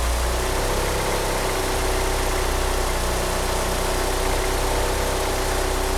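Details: Engine fitted with 850cc injectors: lumpy, uneven idle under a loud rushing background; rough idle, engine unable to rev up, steering pump belt slipping.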